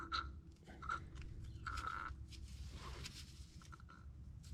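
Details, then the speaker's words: Bobcat skid steer, Kubota V2203 diesel, won't restart after 10-minute shutdown: worn fuel lift pump removed and hand-primed barely squirts fuel, then irregular gurgling as air is sucked in; diaphragm not holding pressure, fuel draining back; pump replaced. "That gurgling sound, it means the air got sucked in. Yeah, you don't want to hear that. That means membrane is not holding the pressure."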